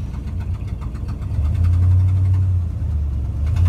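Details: Original-motor 1972 Ford F250 with perhaps about 120,000 miles, cold start: catches and settles into a steady, slightly high cold idle with even low V8 rumble; healthy while warming up, normal fast idle.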